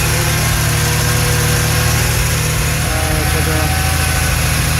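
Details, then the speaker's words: Late-1970s Porsche 911 SC 3.0 flat-six, first start after CIS fuel system rebuild and alternator work, before CO tuning: steady, even idle with smooth low burble, no misses or knocks; previously idle fluctuated and spluttered. "All right, start up. That sounds really good. We haven't even done the tuning yet, and that's already running better than before."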